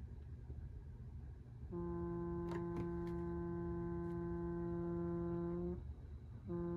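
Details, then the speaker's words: Stryker 955 CB radio with a V6 EQ, splattering badly: a quiet hiss, then a steady buzzing tone that cuts out and returns as the radio is keyed. It appears above about a 3-watt dead key, so the carrier can't be raised past 6 watts; cause unconfirmed. "So I can't even raise this thing up past 6 watts without that happening."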